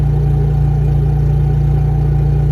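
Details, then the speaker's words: Two-wire start generator feeding a Victron charger in bulk mode as load slowly ramps up to about 1440 W charging: deep, steady, even hum with no misses or knocks. "now we go to bulk and you hear the generator load being slowly applied it just doesn't it slowly ramps up the current as you can hear in the generator slowly adding load"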